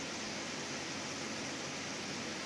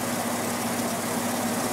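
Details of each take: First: Window air conditioner on cool, fan stepped low to medium to high, earlier rubbing expected to wear off, tested outside a window: steady soft whoosh with low constant hum, no rattles or knocking; quiet, running normally. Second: Haier 5,000 BTU window air conditioner, about 3 years old, Qingyan compressor, at startup: steady hum with faint scraping rub; debris inside is rubbing.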